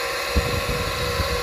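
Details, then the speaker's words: Car that went through flood water, idling after being run to dry out: steady high-pitched whine over the idle with faint fan hum, not present before; sounds like the alternator. "see wasn't doing that before that's why you got to run it for an hour hour and a half drive it do some funky turns get all the water out of it once it's dry sounds like an alternator"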